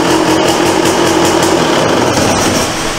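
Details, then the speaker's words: 1998 Yamaha YZ250 two-stroke, seller claimed cracked engine, first start after refitting carburetor and rerouting cables: crisp, rapid, steady crackle at fast idle, no bogging or missing; runs good, normal running. "right, she runs good, really good, nice and crisp."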